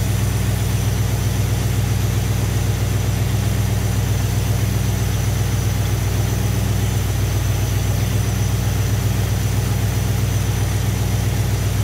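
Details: Thermoquad carburetor engine after idle mixture set with a vacuum gauge at max vacuum, then screws turned back in until the sound changes: steady, even low idle with a smooth regular beat, no misses or hunting; normal idle.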